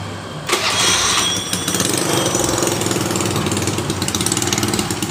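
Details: Honda Beat carburetted scooter with an intermittent electric starter, after the starter's armature and magnet parts were replaced: a brief starter whir, then the engine catches straight away and settles into a steady idle. Normal electric start.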